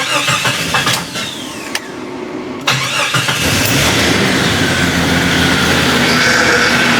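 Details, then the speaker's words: 1987–1995 Jeep just after fitting a used power steering pump: engine cranks, catches and runs steadily with a faint high whine from air in the power steering system, expected to work out with driving; fluid level dropped slightly. "Yeah, it's got a little whine to her, but a little driving, that'll work it out."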